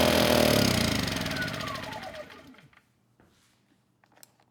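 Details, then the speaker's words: Kipor KGE 1000Ti 1000 W inverter generator, 10+ years old, with a history of surging and stalling even after a replacement carburetor, running on starting fluid: unsteady engine chatter sags and slows, then dies once the eco throttle is turned off; lean, fuel-starved stall. "I mean, the engine was a bit unsteady, but it seemed like it was going to keep going, at least until I turned the eco throttle off."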